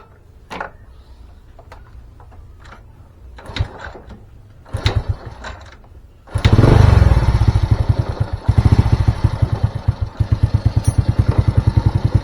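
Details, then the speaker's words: Old Honda Supra single-cylinder running rich (black plug, black smoke) even after the pilot and main jets were fixed; after a few cranks it catches with a loud, uneven putter that sags instead of climbing. A leaking carburetor float valve flooding fuel is suspected, not confirmed; won't rev up cleanly. "kita cek KBnya ya bocor atau atau tidak kadang kalau KB bojor kan suplai bbm-nya terlalu banyak ya jadi dia rpm-nya enggak mau"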